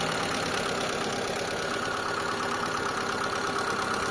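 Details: Mitsubishi Lancer 4G13 carbureted engine after new fuel filter, previously noisy and hard to start, idling before test drive: steady even idle with a smooth hum and light high hiss, no knocking or rattles; normal.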